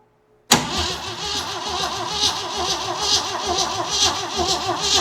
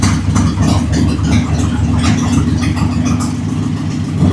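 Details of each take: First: Jeep CJ7 with worn starter whose Bendix doesn't fully engage: steady cranking about one beat per second with no firing; cranks but will not start. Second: Jeep CJ7 with 258 straight six, oil pressure gauge being checked after refuelling: steady, even low rumble at idle, no knocks or ticks; healthy idle with oil pressure almost 50.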